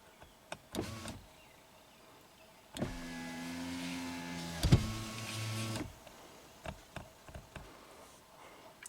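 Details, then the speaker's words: 2017 Subaru Outback power window after reinitialization procedure, still not fixed: motor hums steadily upward, sharp clunk partway, then drives back down before closing; down works, cause suspected, not confirmed. "Well, that's messed up. That's still not fixed. So down works. It doesn't like something up there."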